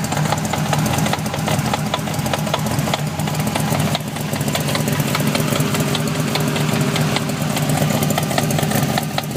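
V8 idling with a dull, irregular knock riding over a low steady rumble; seems to come from the gearbox, cause unknown.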